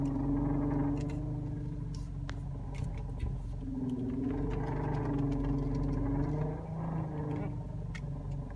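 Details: Toyota Camry idling while steering is turned: steady whine wavering in pitch; power steering fluid was below MIN, fixed by topping up with ATF.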